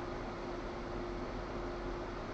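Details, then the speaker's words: Two converted G5 rear fans with Zalman 92mm motors at full 12 V, about 3,000 RPM, microphone about 10 cm away; steady even air rush with faint constant tone, no ticking or rubbing, loud but healthy. "and as you can hear they're sticking out quite a lot of noise"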